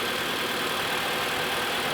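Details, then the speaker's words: 2015 Mitsubishi Outlander 4B11 2.0, automatic FWD, ~200,000 km, after repair for piston slap knock and oil consumption: steady, smooth, quiet idle with no knocks or ticks; healthy engine. "хотел послушать слушайте работает ровно работает тихо"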